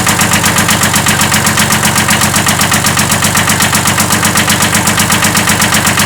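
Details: 1979 Kubota B7100 diesel tractor with old D750 engine at idle: steady pulse of about four thuds a second under the clatter, a slight rod knock; engine deemed not worth rebuilding and replaced by a D950.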